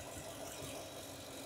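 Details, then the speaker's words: 2002 Toyota Tundra 4.7L V8 with flashing check engine light: uneven idle with a dull recurring stumble from a dead cylinder skipping; misfire. "all right guys today we got a 2002 Toyota Tundra 4.7 L it's got a misfire we're going to show you a quick easy inexpensive way to diagnose it"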